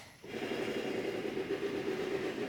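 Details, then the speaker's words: 1977 Pontiac Grand Safari wagon (301 V8), parked since 1996: the power rear tailgate window motor runs with a strained, dull, steady hum that never picks up speed. The window opens slowly; the motor is labouring, cause not confirmed. "So this has the power rear window lift gate. Let's see. I'm going to go back here. Hit the power button on that rear tailgate."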